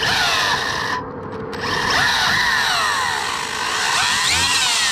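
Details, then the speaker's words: DEERC 1217 1:14 brushless RC truck with VbestLife ESC on a CNHL 4S LiPo; it had hit 48 mph. High motor whine sweeps with throttle over gritty gear noise. Owner suspects a drivetrain gear coming loose, unconfirmed. "Yeah, we got a gear coming loose, it sounds like."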